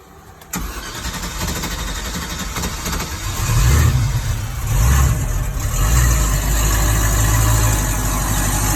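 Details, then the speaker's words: 2006 MasterCraft X15 boat engine with a fuel pump replaced last year, hard-start issue. No fuel pressure at key-on and pressure drops off after shutdown; the starter cranks for several seconds before it catches and settles to a rumbling idle. "Let's turn it over. It's hard to do. And you can see it has some pressure there. Look at it go down."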